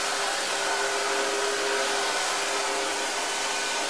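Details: Smooth, even high-pitched motor rush with a steady tone and no surging or rattles: the Pro 12 single-motor commercial upright vacuum is running normally.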